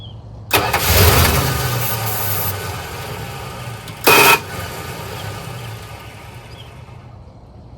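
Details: 1985 Dodge Ram D150 Prospector, 318 engine, 70,000 miles on the odometer, sat a year or two: the starter churns for seconds and the engine never fires. The owner suspects 12 V ignition feed is lost when a lead is disconnected.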